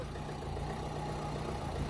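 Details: Customs-seized diesel with 54,000 miles, first start after new key programming, battery probably low, warning lights on: quiet, even idle with a steady low rumble and no knocks or misses; normal idle.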